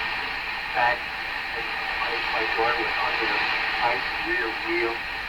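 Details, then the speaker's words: Hammarlund SP-600 receiver after reconnecting a loose lead, on a garage-floor antenna: station audio strong and clear over light hiss, no fading or crackle; the receiver is working normally. "maybe a little too late a little too late but there's no doubt it's receiving oh double thumbs up on that wow"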